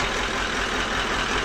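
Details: Toyota Land Cruiser V8 1VD-FTV diesel after fixing hard starting by retiming: steady even diesel clatter at idle with no misses, knocks or surging; idles smoothly.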